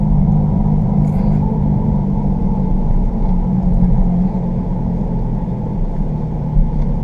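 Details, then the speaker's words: 2015 Jeep Grand Cherokee WK2 driving, new tires fitted: steady low growling hum that eases as the vehicle swerves, shifting weight off the left front; suspected bad driver's side front wheel bearing. "a definite change in in the in the loudness of it of the tone and and i believe that's because we're taking the the pressure a little bit of weight off this left front and putting it on the right front"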